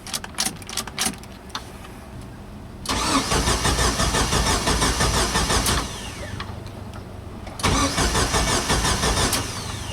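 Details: Jeep Wrangler YJ that died while driving, cranked with a swapped used computer and the check engine light on. Starter spins steadily in two long bursts but it never fires: crank, no start.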